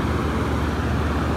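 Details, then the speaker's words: 5-ton packaged heat pump in heat pump (heating) mode after a jumper wire was added at the thermostat, drawing about 21.4 amps with warm output air; steady low hum and even airflow rush, no rattles or squeals, normal running. "anyway i added a jumper wire and now it's working so you can hear it run it's in heat pump mode"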